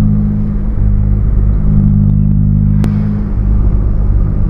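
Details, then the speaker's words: Nissan Sentra B14 on highway road test after the earlier grinding noise (A/C compressor bearing suspected) was fixed: steady low, even hum, no grinding or whirring, even quieter with A/C switched on; engine healthy. "Yung ingay na narinig nyo nung kahapon sa vlog ko na parang may ginigiling, eh wala na, tahimik na siya mga kabiyahe. Ayan o. So lalo siyang nagiging tahimik pagka binuksan ko pa yung aircon."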